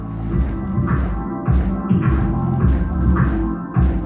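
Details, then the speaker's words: Subaru WRX/STI trunk lid rattling and buzzing on each bass hit from the sound system subwoofer, heard before rattle-proofing the area under the trunk lid. "you can clearly hear the rattles and vibrations as the bass notes hit so that's what we're going to be fixing in this video"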